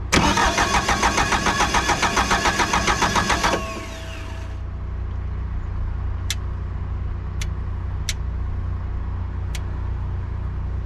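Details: Bobcat 883 with reman Deutz diesel just installed, turbo pipe off, fuel cutoff wiring uncertain: starter spins steadily about 3.5 seconds at 3.5 beats a second without firing; cranks, won't start, cause suspected.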